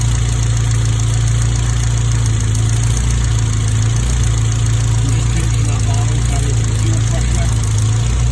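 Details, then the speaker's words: Honda B18 "race" engine from eBay in DC2, first run before mapping, fuel pressure about 50 psi: steady even low idle hum, no misses, knocks or ticks; no smoke or leaks, healthy. "5 or 10 minutes. It is now ticking over quite nicely."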